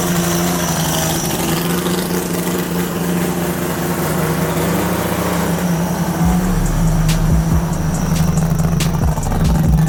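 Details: Three-rotor Mazda RX-7 FC drift car, first start after sitting with a new turbo fitted: loud, lumpy idle with a steady low drone, no knocks or misses; started first try, healthy normal idle.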